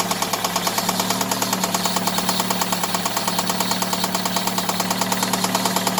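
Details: Daewoo Nexia 16-valve engine at idle: sharp, regular ticking knock about three per second rides steadily over the idle, present both cold and hot; origin undetermined.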